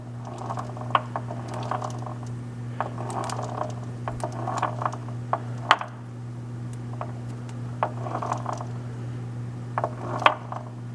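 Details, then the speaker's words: Pacemaker lathe headstock under a steady low motor hum: irregular clicks and knocks from the gear train; the only damage found is on one long gear. "hear that knocking noise right there so I don't know I may have just uh bit off more than I can chew"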